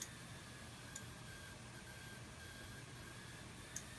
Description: GTX 970 common coil whine noise issue from Asus, EVGA, Zotac, MSI, Gigabyte and Gainward.